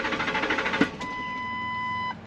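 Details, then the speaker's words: Truck with intermittent hard start and no trouble codes, live data monitored: starter churns in quick, even pulses almost a second before catching, stalls, restarts with gas; fuel pressure then found adequate, cause not yet found. "Hard [Music] start. Stalled out. gave it gas and it started. So, we're going to have to figure out why."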